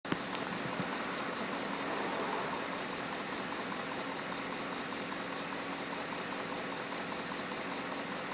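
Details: Pontiac G8 GT V8 at idle: faint quick ticking in background, suspected lifter tick, seemingly more noticeable with hood closed; cause unconfirmed.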